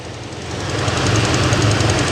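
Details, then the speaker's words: Dodge Ram 1500 Hemi V8 idling after a no-start fix: quick even ticking from an exhaust leak at a broken exhaust manifold stud, not a Hemi lifter tick. "y'all hear that chicken noise not a ticking noise ladies and gentlemen that is an exhaust stud"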